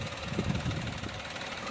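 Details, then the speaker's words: 2014 Maruti Celerio petrol after replacing the cylinder 2 ignition coil (misfire, check engine light): steady, even low-hum idle, no misfire, engine light gone. "Hello दोस्तों तो देख सकते हो नया कोई लगाने के बाद ए परफेक्ट लग रहा है दम साइलेंट हुए गाड़ी"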